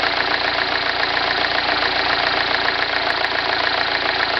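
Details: 2009 MINI Cooper S at cold start: fast, steady metallic rattle of roughly three to four clicks per second over a busy idle; timing chain rattle, the so-called death rattle, suspected.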